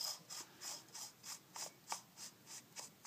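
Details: Maglite 2D flashlight during a Cree LED bulb upgrade, head screwed back onto its threads while Vaseline is spread over them: rhythmic dry rasping about three times a second; dry thread scraping that needs lubrication.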